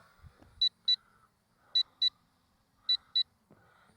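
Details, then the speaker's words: LSRC KS66 brushless drone flying in high rate into the wind: paired high beeps about once a second over faint motor whir, the telemetry low-battery warning about two minutes before empty. "okay I'm in high rate going in the Wind now that's you hear that beeping that is the um Telemetry warning it gives you about a two- minute warning when the battery gets low"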